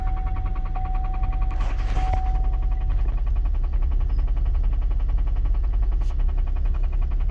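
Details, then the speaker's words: 2012 GMC Denali, AWD, 220,000 miles, idling: a regular low knock, about two to three per second, under the engine note. The motor knocks and is suspected bad, though it still drives. "but the motor is knocking i'll start it for you so you can hear it"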